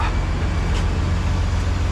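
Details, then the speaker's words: Peterbilt truck idling: deep steady rumble with no hiss of escaping air at the air-suspension airbag valve, which previously hissed; after tightening the valve, no air leak. "see there's no you can hear the airbag air not now but last time or before i tighten that thing all you could hear was the air hissing out of that valve so that makes me happy it was just i needed to tighten it up and that fixed the problem"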